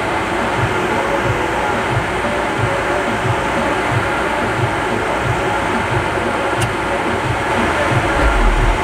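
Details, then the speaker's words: MasterTemp pool heater after taking the water-compromised sensor switch out of the circuit: steady, even burner roar holds nine seconds without dropping out, good gas pressure; previously fired 5–10 seconds and shut off repeatedly. "can now hear that the heater comes on it stays on we have a good consistent gas pressure so everything is looking excellent and problem resolved"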